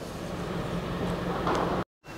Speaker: all right so just got back from the test drive and it dries fine no knocks no bangs um pulls well